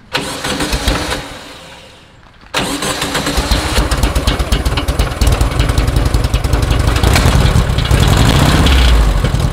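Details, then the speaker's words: VW-powered tracked trike: after cranking, it fires and settles into a rough, uneven clatter over the exhaust beat. Suspected engine-internal noise, or the transmission/shifter engaging reverse and forward at once; cause unconfirmed. "oh wait a sec hold on wait sounds like engine internal"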